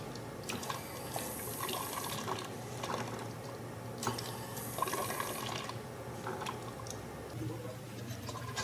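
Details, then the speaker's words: Steam injector with a frozen washer; fast, ragged spitting of steam and water with only mild pulsing and no airy gurgle; frozen washer. "it will sputter steam in water very rapidly which can look and sound deceptively close to the air leaks gurgle but it will not pulsate as violently if at all"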